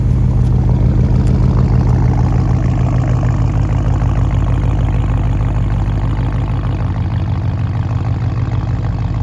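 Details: Porsche engine at idle with a deep, uneven loping stumble about three times a second. Cylinder 3 misfire (code P0303), diagnosed by swapping components between cylinders to isolate the fault.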